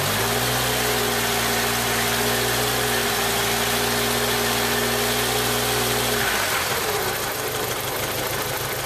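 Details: 1995 Jeep Wrangler YJ 2.5L four running rough around 1500 rpm: steady drone with an uneven, lumpy beat before cutting off; cylinder one has a blown head gasket seal and about 70 psi compression.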